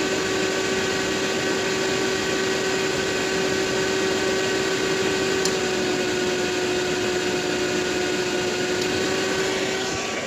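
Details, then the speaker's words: Used 2019 Robinair A/C recovery machine that clicks and cycles but does nothing, started on recover: a steady ~400 Hz motor hum sags as the compressor clicks in, suggesting the fan is loaded by excess amp draw. Compressor bogging on engagement. "yeah you hear that where the where the fan gets loaded when it clicks so that's a red flag right there so that means that there's more of an amp draw than what should be there"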